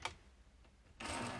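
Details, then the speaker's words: Setting gear backlash between motor pinion and transmission, new gears, motor moved back: faint ticking turns into a sudden dry rasping buzz, meaning the mesh is too tight with no play. "Donc, on va reculer un petit peu le moteur. Vous voyez, là d'un coup, vous entendez au bruit."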